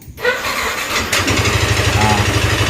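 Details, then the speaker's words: Yamaha NMAX scooter run with only the front pulley fitted (rear pulley removed) to isolate the noise: it starts and settles into a fast, even, severe tick over idle. Rocker arm, cylinder block or scored piston suspected. "masih bunyi ngeletek enggak kalau misalnya masih bunyi ngeletek otomatis mau enggak mau dicek di bagian depannya ya untuk ngeleteknya ini apa dari pelatuk apa dari blok seharnya pistonnya udah mengalami luka gitu ya"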